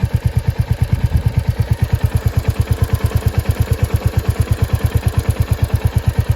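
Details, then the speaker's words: Royal Enfield Hunter 350 at about 3,000 km, noise since around 500 km: steady idle with a sharp, even tick about twice a second from the timing side; owner suspects tappet or timing chain, unconfirmed; bike still rides smoothly. "as you can hear tickles inside here so I've read a lot of articles online and seems like this noise comes from here where there's the timing"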